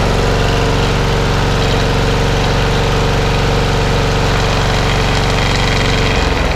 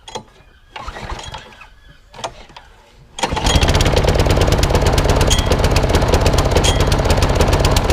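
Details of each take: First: Masport lawnmower with an old Briggs and Stratton engine, after a full service and with the blade fitted, at full throttle: steady, even drone with no shaking; it started on the second pull and runs smooth and healthy. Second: Old Masport lawnmower with a Briggs and Stratton engine, after a full service: quick chugging run that stumbles now and then with a slight miss; owner suspects the carburettor needs cleaning again, possibly the coil too.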